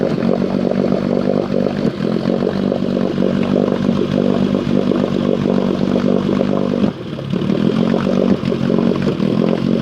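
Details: Small engine with choke off, idle lowered until it runs low and buzzy, stumbling briefly twice as it misses and sputters: rough idle with misfire.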